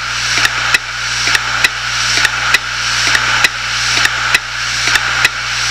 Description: My 250Gb Hitachi Deskstar hardrive died making this noise, and with half of the drive full of my stuff. This is running at 7200 RPM's so that might explain the noise level.